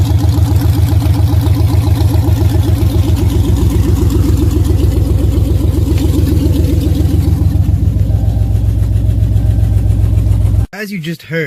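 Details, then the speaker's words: Dodge Challenger Super Bee V8 after fixing loose header clamps: even, steady idle with deep regular beat and no metallic rattle; exhaust header rattle fixed. "sure the car sounds a little bit different not crazy different but I fixed our rattling header situation"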